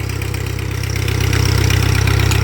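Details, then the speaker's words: 1948 Ford 8N tractor idling after rebuild with the PTO engaged (old PTO seal reinstalled): a steady low idle with an even firing beat that picks up slightly as the PTO takes load. It is running smooth. "in the meantime we're going to um engage the PTO there you can hear it and we're going to see if our lift works"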